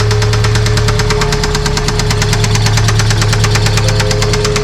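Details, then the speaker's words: 1993 Toyota pickup running rough at idle with loud, fast, regular knocking about three per second; fired right up though battery may not be charging; engine knocking, doesn't sound good, owner plans engine rebuild. "But yeah, doesn't sound good. Plans for this truck? Well, short term, let's make sure that it runs better than that,"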